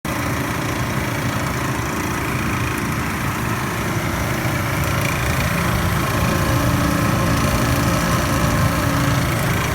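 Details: Panda PAN760SF 3.75 cu ft dryer after replacing the fan belt: a rough, uneven grinding chatter under the steady motor hum. The drive motor was faulty, and a replacement motor eliminated the noise.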